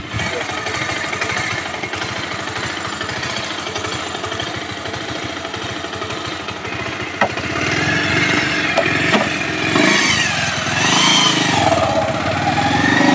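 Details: Bajaj Pulsar 150 single-cylinder, before full engine teardown for smoking with wet, carboned silencer; rider notes idle hunting up and down and rising with clutch pulled, suspects carburetor; clip revs cleanly, smooth and even, no knocks or rattles.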